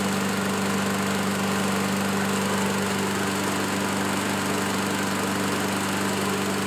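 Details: Curb-find Craftsman self-propelled push mower, Ready Start: steady, even single-cylinder drone at constant pitch while cutting, no misses or surging; normal running.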